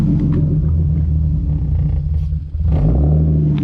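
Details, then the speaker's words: Turbo M50 BMW E30 (500whp) with a new surge-tank fuel pump: deep rumble sags and nearly dies halfway, then catches again as fuel pressure jumps and drops; fuel starvation stumble. "it jumped up and then went down is it not working still with this new pump dude this is exactly what I would need what the bro that's not good"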